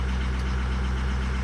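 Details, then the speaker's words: Diesel truck with 260,000 miles, just started cold: steady low drone with slight uneven pulsing; weak injectors, number 4 by far the worst. "it's kind of got a little bit of issue right now going on just lighted up it was cold"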